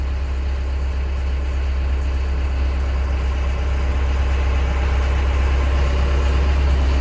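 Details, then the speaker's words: Brand-new John Deere 60P excavator diesel with 4.5 hours under light throttle: a deep, even drone that firms up slightly as throttle comes on, with no knocks or rattles; healthy. "Might as well climb in here. Well, we got it running, I mean. Oh, give her a little go."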